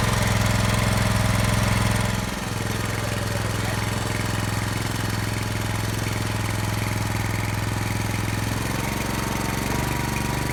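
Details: Brand-new Subaru Robin SP-170 5.7HP engine, first start ever on a stand, 10W-30 oil: settles into a smooth even single-cylinder run after a couple of seconds, steady beat, no knocks; healthy.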